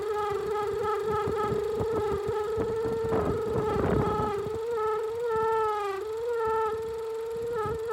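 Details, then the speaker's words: Range Rover with check-engine light, engine running: steady mid-pitch whistling howl, loudest at the centre of the intake manifold, not belt or vacuum pump; vacuum leak from a broken, collapsed PCV valve hose under the manifold. "ha una manguera rota que está metida por entre el centro del múltiple misión"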